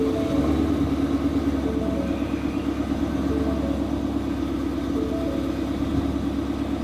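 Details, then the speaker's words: Car just flashed to an E85 tune, idling for a few minutes so E85 mixes with the remaining 91 while AFRs adjust: steady, even idle with a smooth low rumble and no misses, knocks or hunting; normal idle. "even idle for a few minutes afr's are adjusting right now"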